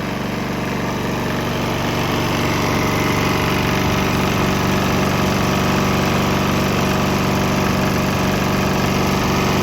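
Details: Swan X 165F Chinese single-cylinder diesel on 50-50 used motor oil and diesel: loud steady chug at constant speed, no misses, surging or knocking, earlier bucking and stumbling cleared after transition; normal running.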